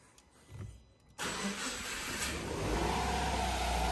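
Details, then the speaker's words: Subaru Impreza EJ20 after timing belt, water pump and drive belt replacement, aircon off: after a brief test crank, the engine catches sharply and settles into a steady, even idle; normal engine start. "okay sounds good try again that's a good sound now i will try to start now"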